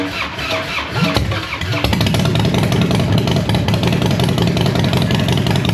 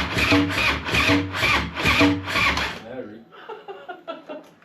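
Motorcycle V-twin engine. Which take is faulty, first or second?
second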